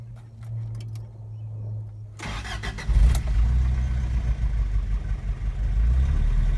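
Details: 1984 Toyota 22RE engine; timing chain, tensioner and guides were done by a previous owner; cranks and settles into a low uneven idle with a faint repeating tap; cause of the ticking not found; engine ticking noise.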